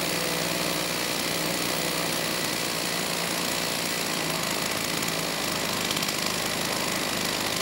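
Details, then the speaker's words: STIHL 028 AV Super chainsaw, straight-gassed and rebuilt with non-OEM parts, at high idle with the choke off: a high two-stroke buzz that wavers and won't settle, poor response off idle and lean at high speed. "I'd say it's running different but not necessarily better you know this time it's still having a bit of issue coming off a idle you know the engine doesn't really have a good response"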